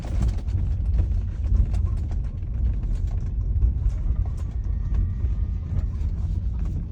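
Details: Tesla after a service visit in St. Pölten, Austria, while moving. Irregular creaks and squeaks with short ratchety clicks over a low rumble; squeaking noise, cause unclear.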